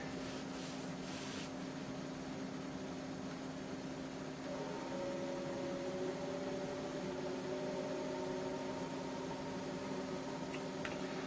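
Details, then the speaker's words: IBM PS/1 2011 on an alternate, home-built power supply at first power-up: only a faint, steady floppy spindle hum as the drive attempts to read the disk, with no stepper clicks, so the heads never seek. "I can hear the motor going in the desk in the drive but that's it I can't hear the stepper go"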